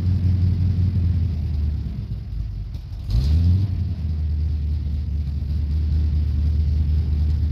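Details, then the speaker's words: 1969 Dodge Coronet 500, believed stock 440 V8 with 4-speed, sat for years, carburetor never serviced, near-cold start: deep lumpy rumble catches on the starter and settles to a steady low idle, no knocks or misses; normal idle. "so hopefully that sounded at least uh mildly good like I said it's just a stock 440 is what I believe it is um nothing fancy"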